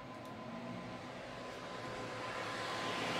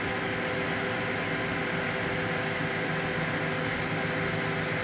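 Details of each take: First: Gigabyte G1 R9 390 graphics card with replacement 87mm 4-pin ball-bearing fans: smooth, steady whoosh with faint even hum rising as fans speed up, no ticking or grinding; normal fan run. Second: Gigabyte G1 R9 390 graphics card fitted with a substitute 87mm 4-pin MSI PLA09215B12H fan: loud steady airy whoosh with a faint high whine, unchanged throughout; mismatched replacement fan runs faster and louder than stock.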